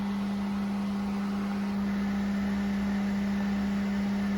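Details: Water well pump after replacing a 40/60 psi pressure switch, building pressure near 30–40 psi while filling the tank: even, constant low-pitched motor hum with no knocking, squeal or cycling; normal running.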